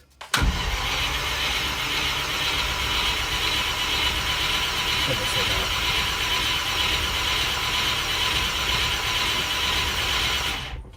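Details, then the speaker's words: Carburetted petrol V8, cold and sat for about a week, battery just reconnected: around ten seconds of continuous cranking that never catches. The owner suspects the float chambers are empty; the fuel pump can be heard priming. "Spinning over. I suspect it's been sat for a week, so carburetors are probably pretty empty."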